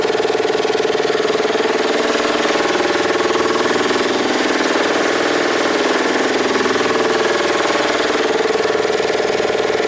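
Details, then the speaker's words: Piston air compressor feeding a Coats Baseline 200 tire machine pounds steadily about four times a second, running nonstop; air keeps hissing for minutes around the machine's two water separators. "Now I'm going to stop for 1 second here because you can hear the compressor is running."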